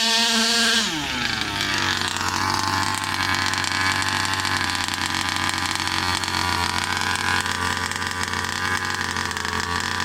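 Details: New Rovan 36cc double-ring two-stroke in a King Motor Baja 5B, warm, head gasket removed: quick rev drop, then a steady high buzzing full-throttle run with no misfire or bogging, pulling cleanly.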